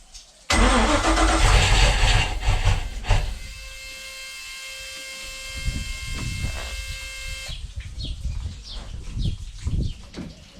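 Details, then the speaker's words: Volvo Penta 5.0 GXi marine engine after TPS and MAP sensor replacement, injector check and compression test, plugs dried. It cranks, catches after a few seconds and runs lumpy before fading. Owner suspects overfueling. "well there we go she fired up she ran very Lumpy but it's the longish is ran but that's probably because I dried everything out all the plugs were all dry and cleaned up"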